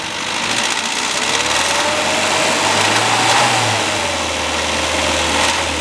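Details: Classic Mini, towed in for abnormal engine noise: a wavering whine rises and falls in pitch with revs over a rough idle; cause not yet pinned down.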